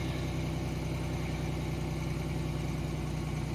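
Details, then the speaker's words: 1990 Chevrolet Lumina Euro 3.1 V6, 145,000 miles, cold start after sitting about 3 months: steady, smooth fast idle with no knocks or misses, around 1,800–2,000 rpm by ear though the tach reads 2,500. "I'm impressed the uh tack is off it's not 2500 rpm it's more like probably 1,800 2,000 I don't know why it's like that but that's just how it is"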